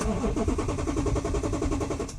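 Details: 2015 Porsche Cayenne S, crashed by thieves, fuel tank holed and empty, cranked from a jump pack: even, slow starter churn at about eight pulses a second, never catching. Owner suspects a flat jump pack and no fuel.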